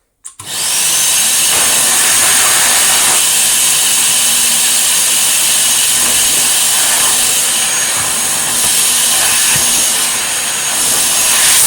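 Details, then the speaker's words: 1949/1950s Electrix paint sprayer blower after full restoration and tune-up: steady high-pitched rushing whir at constant speed, no knocks or rattles; running normally, though air blows past a rubber seal. "Yeah, it's pretty flipping cool, and it works really well too. If I plug it in now, it sounds really well."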